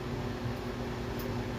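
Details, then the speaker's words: Philco PMS24 microwave that switched on but didn't heat and made noise, after magnetron repair; soft even hum with steady fan whir, no buzzing or crackling, now heating normally. "há nada aqui a velha já não tá fazendo mais aquela zuada um micro-ondas tá perfeito agora ficou novo zerado"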